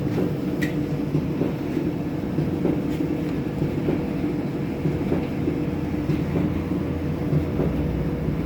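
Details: Kenmore 70 series dryer running: steady low rumble with soft thump under a second apart in time with the drum; thumping noise, owner suspects drum (tub) or rollers, unconfirmed.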